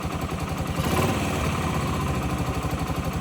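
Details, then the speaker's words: 2008 Yamaha XT125R Big Wheel, stored 12–15 years, carb cleaned, new battery: quick, even single-cylinder putter at idle, no knocks or rattles; normal idle, judged mechanically nothing wrong. "From a mechanical point of view, there's nothing wrong with this bike."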